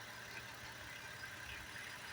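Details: Petrol car that had a misfire blamed on a clogged fuel injector and spark plug coil pack, after owner poured cooking oil into the tank: engine idling quietly and evenly with no stumble, miss or knock.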